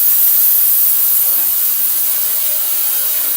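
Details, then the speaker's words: Cleaner from the gas edger job running with fluid added and the lid on: a loud, steady high hiss with almost no low end, unchanged throughout. The operating noise is excessive; the lid likely needs gasket material to seal. "But man, listen to this. It is loud as shit. Then when I put the lid on it, yes sir, that's fucking loud."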